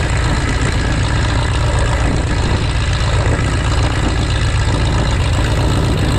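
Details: 1933 Great Lakes biplane, 165 hp Warner Super Scarab seven-cylinder radial, first run in 54 years after restoration: deep, loud, even idle with a steady low throb, no knocks or misses; runs smooth and healthy.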